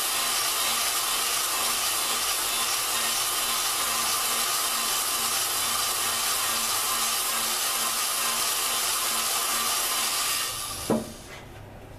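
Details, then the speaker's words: Lapping a valve on a 4.7 Dodge cylinder head, using a drill to rotate it in place of a hand stick. A steady, gritty, high hiss over the drill motor's hum until it stops; lapping is proceeding smoothly. "The valve does not have to go back and forth. It just needs to rotate. It's just I mean you're not going to sit there and you know make it go one direction. So, hence that's why we're just using the drill just to make it easier."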